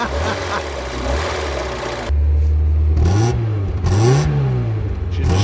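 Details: Mazda MX5/Eunos Roadster off the road 13 years, first start on two-stroke oil mix: engine catches and runs smoothly, pitch rising and falling cleanly with throttle blips, no knocks or misses; healthy running.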